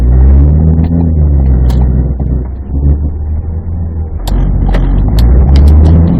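Heavy low droning rumble under acceleration with scattered sharp clicks over it; rough shuddering vibration from the driveline.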